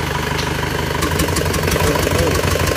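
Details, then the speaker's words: Isuzu Panther diesel after engine rebuild with cast liners, timing gear and oil jet replaced: even, smooth idle with no knocks; engine healthy, though the exhaust flex pipe leaks. "Gasen kennenapotnya sudah parah ini. Tapi untuk mesinnya halus ya."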